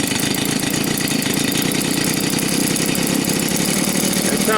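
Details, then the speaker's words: Old Stihl leaf blower at full throttle after carburetor cleaning and tuning for a stalling problem: loud, even high-revving buzz that holds steady without surging or fluctuating. "better that sounds better it's not fluctuating at high end"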